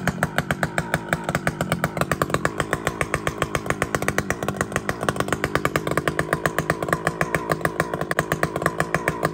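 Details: Chainsaw (a 395) with 3/8 chain cutting a cedar log holds high, steady revs with a fast even buzz but cuts slowly and has to be forced; chain rakers (depth gauges) set too high.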